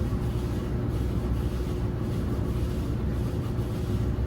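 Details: LG dryer model DLEX2501V running after replacement of the drum rollers, belt and tension pulley: steady low rumble and hum, no squeal, thump or scraping; normal drum operation.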